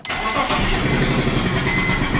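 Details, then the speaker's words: 1999 BMW E46 323i, M52TU engine, running with the spark plug missing from cylinder 2 after it blew out and stripped the head threads: rough fast puffing chuff every turn as compression blows out the open hole; unexplained popping, possibly backfires. "first we'll start it up without the spark plug in so you can hear what it sounds like and it does drive like this"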